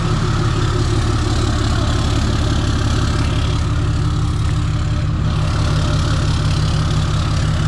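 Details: Freshly rebuilt 6.7 Cummins diesel during break-in, cold start the day after first fire-up: a deep, even idle clatter with no knocks or stumbles, good oil pressure, charging and no leaks; a normal, healthy idle.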